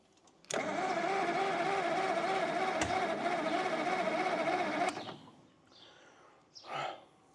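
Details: John Deere 720 tractor with a persistent hard-start problem: the engine catches suddenly, runs rough and uneven for about four seconds, then quits; it is still hard to start.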